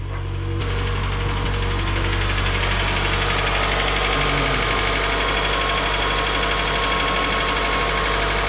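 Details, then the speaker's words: 2012 Scion xB with 2AZ engine, first start after the engine swap, fuel and oil pressure primed beforehand: starts right up and settles into a steady, even idle with no stumble or knock; the misfire is gone. "it sounds okay it doesn't have a mire now"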